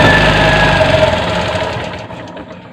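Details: Bajaj CT 100 motorcycle that died while riding despite strong spark and a replaced spark plug (spark plug gap possibly too tight) now catches and runs with a steady, even beat, then fades; normal running.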